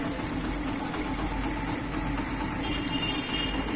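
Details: Yamaha Crux small motorcycle engine idling smoothly and evenly after repair of the timing chain tensioner (broken spring found), with no rattle or tapping from the timing chain; normal idle.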